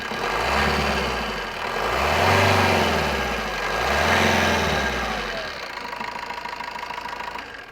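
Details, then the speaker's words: Single-owner Maruti Swift diesel with ABS and airbags, 1,47,000 km on the clock: it starts and settles into a steady, even idle with a light regular clatter and no knocks or rattles; the engine sounds healthy. "இது ABC ஏர் பேக்கோட engine noise பாருங்கள் எவ்வளோ தெளிவாக sound"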